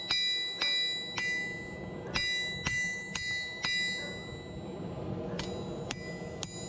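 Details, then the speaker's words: Vevor 110 lb (50 kg) single-horn cast steel anvil with heat-treated face, hammer strike test with dogs barking in background; bright, clear, lingering ping at about two strikes a second, properly hardened face. "I do apologize for the dogs, but you should be able to hear the pinging over them barking, I"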